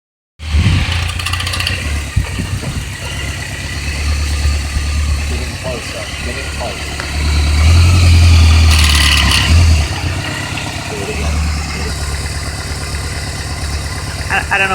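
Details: 2003 Kawasaki Voyager XII motorcycle: low, lumpy running with a loose, uneven rattle at low rpm on clutch release, gone by 1800 rpm and absent at plain idle; owner suspects loose alternator flange bolt, a mechanic suggested starter chain.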